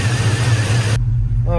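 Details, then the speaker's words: Cammed GMC truck V8 idling after alternator replacement, started on third try in 100+ Texas heat; deep steady lumpy cam rumble, even firing, no squeal or misses; voltage reads right, running healthy. "okay whoa third time with the charm we got it running yes sir voltage looks right everything looks good"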